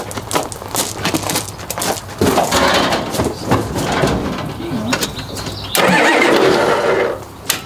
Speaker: Okay, you hear that? That's the glow plugs. It's that little thing with the green wire.